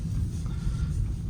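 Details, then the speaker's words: Peugeot 308 (EP6) after replacing worn-free polyurethane stabilizer links, which knocked especially on cold mornings, with standard links; driving over rough pavement only low road rumble, no knocks, suspension quiet. "Не, всё реально все стуки пропали."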